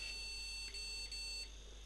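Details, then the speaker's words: Scrap-found PC with AMD Athlon 64 X2 board, first power-on: one long and two short POST beeps, first suspected as a missing graphics card; caused by a badly seated RAM module, fixed by reseating it. "das hört sich so an als würde der keine grafikkarte finden"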